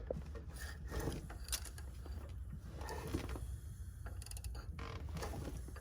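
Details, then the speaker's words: 1982 Mustang GT, sat about 19 years, motor reportedly rebuilt 4-5 years ago, crank turned by hand before trying the starter: slow mechanical clunks with rhythmic resistance from each cylinder; good compression. "but uh he has good compression listen"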